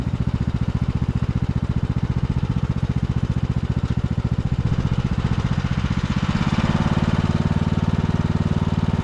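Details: 2014 Ariens (Husqvarna) 42-inch riding mower, free non-runner revived after freeing coil contacting flywheel and fixing brakes: even rapid single-cylinder putter holding steady, picking up slightly toward end; normal running.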